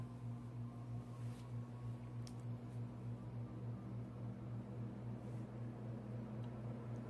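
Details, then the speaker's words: Codep 48-inch spinner ceiling fan, heavy cast iron motor, started on high via 4-speed Casablanca control: steady low electrical hum with soft pulsing whoosh, slow spin-up due to heavy motor. "Okay, let's start it up on high, and you'll hear the loud noise it makes. It also takes a really long time to get up to speed because of how heavy the motor is."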